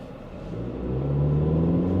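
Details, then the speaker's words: High-mileage $1200 ex-Domino's pizza car, idles well but on acceleration revs climb sluggishly with rough heavy drone, bogging and bucking then surging as rpm rises; owner suspects bad gas (tags expired a year) or timing issue, codes not yet read. "It just seems like it's kind of bogging. Now the tags expired like a year ago. Maybe it's got bad gas. Oh, it's surging."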